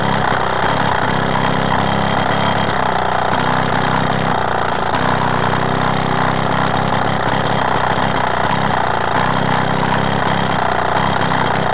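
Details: Solex 3800 compétition 16P moped, freshly restored, riding on its first trip around the neighbourhood: buzzy small two-stroke holding a steady run with slight surges in the note, no rattles or misfires; running fine.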